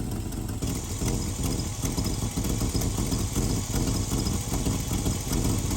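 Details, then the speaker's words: V8 at idle during timing check with digital timing light, vacuum advance excluded: steady, even lope with smooth low rumble; timing did not change, engine runs healthy. "timing did not change. You can hear the engine. It didn't change."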